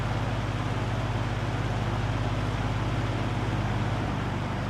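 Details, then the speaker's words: 1963 GE F15W13 three-speed box fan on high, reversed to blow outward; steady, even low hum with smooth whoosh of air, no rattles, ticks or wobble: normal running on high. "So, we'll switch it to high. And that fan is would be blowing outside now with the front still facing in."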